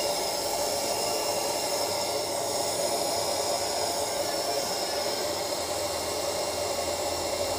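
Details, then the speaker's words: Sunshine 857DW+2 SMD rework station air pump, 10 days old, had weak airflow at low settings and noise; jammed motor freed with a little coconut oil: smooth, steady airy hiss and even motor hum, no catching or rattle; now healthy. "य देखिए इसका sound अब अच्छी तरह से आ रही है फ देते है मतलब इसका मोटर जाम हो हो चुकी थी इसलिए इसका प्रॉब्लम आ रही थी"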